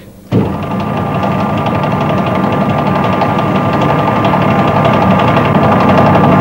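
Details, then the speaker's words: Lathe turning a long bar held in the chuck, free end now supported by a dead centre in the tailstock. Before this, the tool feed made the bar deflect, vibrate and chatter. The cut is now steady with an even hum and no rattling chatter. "that sounds better the work is no longer deflecting so the cutting action is much smoother"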